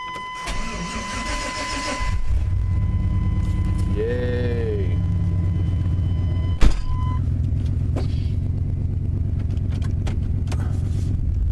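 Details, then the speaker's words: 1996 Chevrolet Tahoe, fuel-injected, cold start on a chilly day without pumping the accelerator: door chime, quick crank, prompt catch into a steady even idle; clean cold start. "there's not going to be any accelerator pump it on this because it's fuel-injected and I just got to start it up and move it oh here we go"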